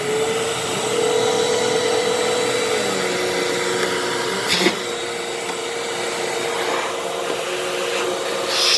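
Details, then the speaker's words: 12 Amp Fantom Fury vacuum, made October 2000, after repair, vacuuming carpet: loud, even rushing roar over a firm motor tone, no surging, rattling or pitch drops; normal running with strong suction, grooming carpet well. "welp I'm happy this thing works look at that groomed the carpet beautifully even got up a little little dust bunny in there"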